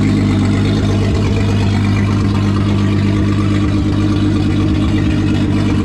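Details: VR6 turbo engine with methanol injection and open throttle body, in final assembly before exhaust work: steady, even low rumble with no misses or surges; smooth idle.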